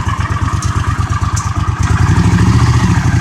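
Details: 1982 Honda CX500 Custom, 12,000 miles, first start in over 10 years after about $125–150 of parts, cold day: even, loping twin pulse about three beats a second, picks up slightly with a blip; clean normal idle.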